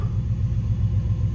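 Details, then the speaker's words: 1995 Chevrolet Z71 pickup, 350 TBI engine, 205,904 miles, after transmission rebuild and fluid changes; deep, loud, raw rumble at idle with even low pulsing and no muffling, because the whole back of the muffler is blown off. "And it does have the whole back of the muffler blown off, so he's going to have to take this thing to the muffler shop."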